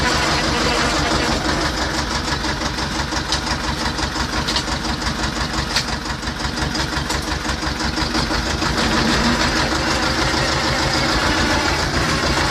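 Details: T-25 tractor after repair: steady, even diesel clatter at idle, about three firing beats a second, no misses or surging; engine settles and runs cleanly; normal diesel idle.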